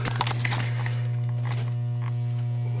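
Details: Williams Flash pinball machine: constant low 60-cycle mains hum through the speaker that returns when a ground wire is reconnected, pointing to a grounding fault.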